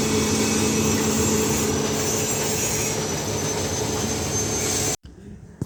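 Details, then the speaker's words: Showcase refrigerator condenser fan after replacing the seized fan with a substituted fan model on the same two AC wires: steady fan whoosh with constant hum, no rubbing or grinding, cutting off abruptly; fan spinning normally, cooling restored. "Nah ini teman-teman ya, ini setelah terpasang ini sudah normal kembali teman-teman ya. Ini kipasnya sudah berputar, coba dengar ya."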